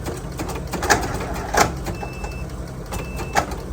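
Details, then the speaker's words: Jump starter pack hooked to an F150 with a dead-flat battery: two short high beeps about a second apart, an E3 error code of unknown meaning, and the engine does not crank. "Oops. Got an E3 uh message again like Falcon yesterday. I don't know what that means."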